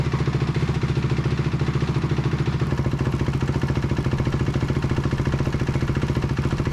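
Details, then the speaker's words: 2004 Honda CRF250R with a damaged head, brought in hard to start. After repair it has a steady, even thumping idle at about 3.5 beats per second with no knocks or misses. Normal idle, before carburetor tuning. "definitely sounds much better before we do any tuning let's get the back end back on"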